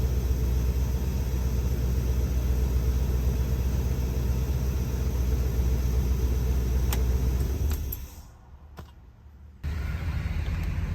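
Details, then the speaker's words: 1975 Lincoln V8 back together after repair, carburetor not yet tuned and vacuum lines plugged: deep, steady rumble with an even beat, no more clanking from the exhaust manifold gasket; smooth, healthy running. "I am so thrilled this thing it is so smooth running it was rough before thrilled it runs awesome sounds good as far as it doesn't have that clanking or clacking exhaust manifold gasket that was awful"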